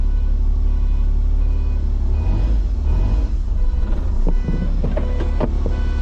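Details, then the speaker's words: Mitsubishi Kei mini truck, unknown year, just restarted, backing out in reverse: heavy low rumble with faint repeating high beeps from the backup alarm, working normally; a brake seems to be hanging up afterward. "In reverse. It's got a backup beeper. It's got a backup beeper. That's hilarious."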